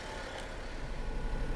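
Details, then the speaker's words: 2005 Honda Acty SDX kei truck, 36,500 km, E07Z 658cc three-cylinder 12-valve petrol, cold with the engine cold light on, heard from the cab: a low, steady idle with a light even tick, no misses or knocks. Healthy, quiet. "engine sounds don't tend to come across that well on the on camera but hopefully you can tell that is a a nice quiet Honda three-cylinder engine ticking away"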